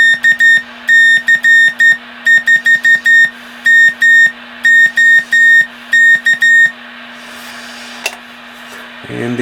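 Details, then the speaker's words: Johnson Viking Navigator vintage CW transmitter on the 80 meter band at about 25 watts, transmit checked for chirp or key clicks: steady, pure keyed Morse tone with no chirp or clicks; oscillator healthy, clean CW signal. "the Navigator is transmitting good. No problems. The oscillator sounds good and healthy, and seems to be working pretty good."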